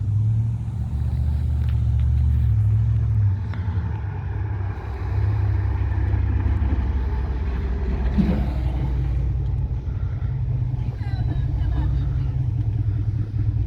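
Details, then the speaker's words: 1998 Dodge Ram 1500 after welding on a new muffler, rolling in and settling to idle: low, even exhaust rumble, no rasp or leak puffing; sounds better, normal idle. "Yeah, I wish I would have showed y'all that before, but I like it. That sounds better."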